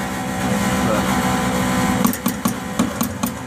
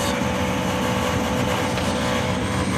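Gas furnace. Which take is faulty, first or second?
first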